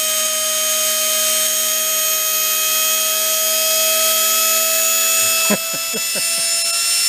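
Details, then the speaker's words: Discarded Hoover Elite carpet cleaner motor run unloaded without its fan after rebuild: a high, steady scream with crackle as the brushes smoke and throw fire. Brush arcing; owner suspects the brushes are installed backwards. "been screaming it's got Fire coming out of it oh the brushes those brushes are smoking"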